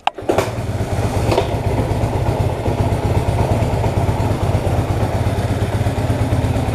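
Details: 1966 Honda Dream on its first test ride after rebuilt wiring and engine adjustments: a kick and a catch, then a steady, even low thump with no knocks or misses; engine running healthy.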